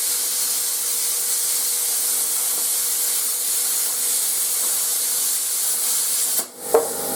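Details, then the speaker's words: YesWelder CT2050 plasma cutting with the built-in compressor and a standoff tip. Constant sharp airy hiss of the arc that stops abruptly as the cut finishes: normal operation. "as you guys know i'm not a big fan of loud noises and this compressor is not that it's not an issue at all it's it's got like a deep tone so it doesn't hurt your ears"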